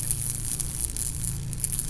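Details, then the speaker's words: Mt. Fuji Inn neon sign during troubleshooting, rust on galvanized housing: steady low hum under fizzing, crackly hiss; suspected corona discharge with tube grounding out to the can, shocks felt. "I think that's due to corona discharge. I got the electricity hooked up on a switch here, and I'm going to turn it on for you."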